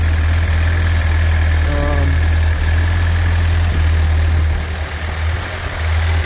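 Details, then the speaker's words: Rebuilt '48 Willys spare engine, warm with thermostat open at 160, 30 psi oil pressure, deep, steady low thrum with an even beat, no knocks or ticks; normal, healthy idle. "See if she'll idle down a little bit. Yes, she will. So, this little engine is happy."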